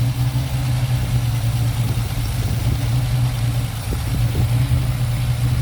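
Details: Ford Capri 3.0L V6 race car replica, stored 20+ years, idling after first start: deep, steady rumble with even firing, no misses, knocks or hunting; oil pressure good, warming up, normal idle.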